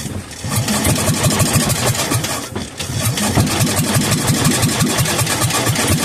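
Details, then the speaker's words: Kohler K241 10 hp engine that sat for years: catches and pops along unevenly for a few seconds with lumpy beats, just burning fuel poured into the carburetor. "I'm going to put some in the carburetor I'm going to fill up the carburetor and see if it'll just run and stay running"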